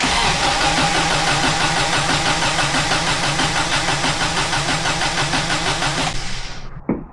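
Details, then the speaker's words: 1993 Subaru Loyale, first start after an engine reinstall, exhaust not yet fitted: even starter cranking that never fires. No spark because the distributor was left unplugged. "The distributor's not hooked up. It sounded like there was no spark, so that would make sense."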